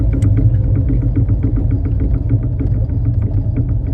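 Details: Triumph Spitfire 1500 idling with a light regular tapping at roughly six per second, following engine speed; engine knocking, source unknown.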